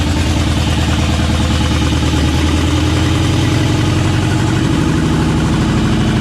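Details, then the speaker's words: LS-swapped K10 truck at idle; loud rough lumpy V8 beat with uneven thumping pulses, not firing on cylinders 2, 3, 5 and 8 per owner; they suspect it is down a cylinder, cause unknown. "she ran she did run I think she's down a cylinder"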